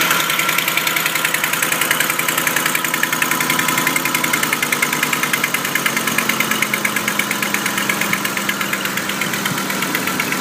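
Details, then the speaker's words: 2006 Ford Super Cab engine at cold start: a fast, light ticking over the idle that follows engine speed and disappears as the engine warms. "Super Cab, noise on startup."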